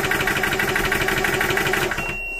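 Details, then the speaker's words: Orcair Thunder 4500psi PCP compressor, auto-stop set to 200 bar: pretty quiet, much quieter than the owner's Yong Heng, quick even piston chatter building pressure fast, then clean cutoff leaving a faint tone; normal running. "pretty quiet um much quieter than my all yangong hang was it's building pressure pretty quick should get to that 200 bar and then shut"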